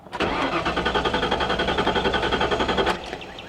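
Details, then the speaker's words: 1998 Ford Explorer, fully charged spare battery, about a quarter tank, theft light out with first key: steady quick cranking around 220 rpm for three seconds with no fire; engine spins healthily. "it cranks yeah it sounds healthy it does yeah there's nothing let me try the other key"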